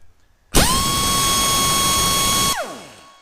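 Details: Heavy air impact wrench on a 1/2-inch air line with the ball valve wide open, pressure dropping only 20 while running: loud, steady high-pitched hammering whir at even pitch for two seconds, then winds down; running at full supply.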